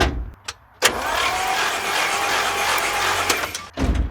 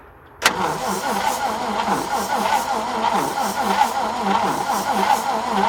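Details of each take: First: 1950 Chrysler DeSoto flathead six, 6-volt positive-ground system, spark plugs out for cleaning: starter spins the engine steadily for about three seconds between clicks, even and unlaboured; normal cranking. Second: 1950 Chrysler DeSoto flathead six, 6-volt positive ground: starter turns the engine with rhythmic chugging about three pulses a second, but it never fires; cranks but does not start.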